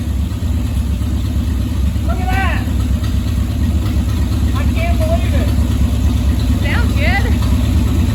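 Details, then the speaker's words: 1959 Rambler, 195 flathead inline six with automatic, parked for years, first start after purchase, low on transmission fluid: settles into a steady, even low rumble with no misses or knocks; normal idle. "it it bought me all that time and it's just gonna crank up and sit here and idle that is crazy"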